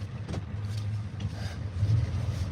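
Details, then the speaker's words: Ford diesel running on a borrowed skid-steer battery, owner notes some air intrusion starting: low, steady rumble with an even beat and no knocks or misses; a smooth, healthy idle. "look at how nice it runs so I'm spinning out to a drive I got an out of four oh she's a good runner though"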